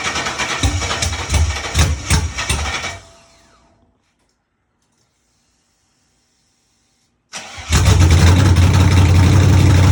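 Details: Chevy truck with a cammed 5.3 V8 (Texas Speed 232/234 cam, 110 LSA) on its first start after wiring and ground fixes, with open exhaust. It cranks and fires into a loud, choppy, uneven lope at idle, then settles and runs clean.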